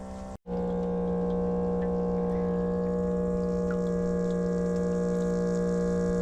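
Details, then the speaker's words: Newly upgraded off-grid spring water system pump in a cold climate, just powered up with float switch wired: after a brief gap it hums on a steady even low tone with faint regular ticking, pumping water to the home quietly; running normally. "Now, there's water. You hear that? Water's pumping to our home. It's silent."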